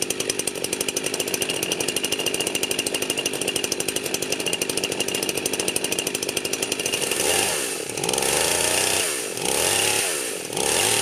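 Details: Freshly rebuilt Husqvarna 51 chainsaw, first runs after choking off bottom-end oil, cold weather: crisp, even high-rev buzz with steady firing, clean throttle blips dropping and picking up without stumbling; healthy.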